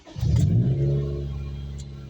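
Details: Car that misfired and lost power a few minutes after cold starts, after fitting a brand-new replacement sensor: quick clean throttle blip rising and falling smoothly, no stumble or pop, no check-engine light; engine now revs normally.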